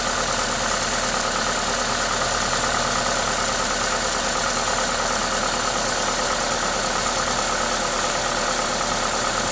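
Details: Toyota 2ZZ-GE engine at normal idle: smooth engine hum under a strong airy hiss from the induction kit, steady and even, no knocks or misses; sounds healthy.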